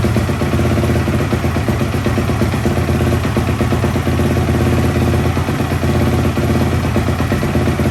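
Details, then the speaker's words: 2004 Yamaha YFZ450 ATV single-cylinder, first start in years after rebuild with new exhaust: loud, steady idle with even throaty beat and no knocking or rattles, idling perfect. "Uh-oh, it's gonna go. idling perfect."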